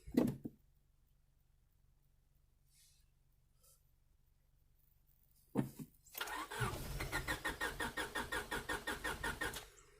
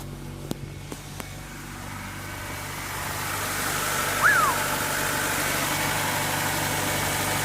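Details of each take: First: 1998 Honda Civic EX, D16Y8, five-speed manual, auction car: steady rhythmic cranking for about three seconds with no catch, then silence; turns over fine but isn't getting fuel, owner thinks it needs gas. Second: 1998 Honda Civic EX, D16Y8 five-speed manual, first run after fuel pump replacement: a few sharp clicks, then an even, steady idle with no misses or knocks, charging at 13.8 V; normal healthy idle, repaired.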